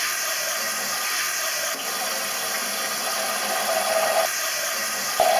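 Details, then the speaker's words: Toilet cistern: steady, unbroken hiss of water flowing nonstop, unlike the intermittent refill every 20–30 seconds of a leaking flush seal; the fill-valve membrane seal inside is leaking. "sans arrêt, c'est le joint de membrane qui se trouve à l'intérieur."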